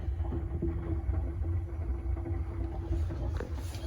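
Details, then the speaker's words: Water heater about 8 years old on well water: low burner rumble with loud pops and crackles from calcium sediment buildup in the tank bottom breaking loose as it heats. "so a lot of that times you got build up inside the bottom of the tank the popping sound you're hearing is the heat heating up and uh popping the the calcium deposits loose in"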